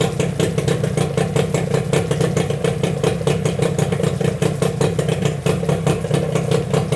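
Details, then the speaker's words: Yamaha 8C two-stroke outboard from Japan with salt-clogged water intake, run on a hose after clearing the intake, gearcase removed: quick, even popping beat and steady note, no misses or rattles; motor stays cold, no overheating. "мотор не перегревается Ну перегрева нет мотор холодный нормально всё"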